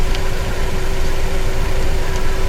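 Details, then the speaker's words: Automatic transmission at idle with a steady mid-pitched buzz from the worn transmission pump; car won't move once warmed up, fluid drained is brown, mud-like, viscous, smells odd, not red. "That's not a good sound. That's the pump making noises."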